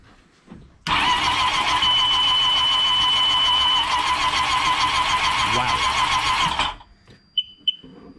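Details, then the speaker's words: 2009 Sea-Doo GTX supercharged jet ski, reportedly locked-up engine, 78 hours shown, no spark plugs or coils fitted: starter spins an even unbroken whir about six seconds, no binding or clunks, not locked up; normal cranking. "that sounds relatively uh healthy. Okay. So, engine isn't locked up. It's sp spinning freer than some of the other skis that I've worked on."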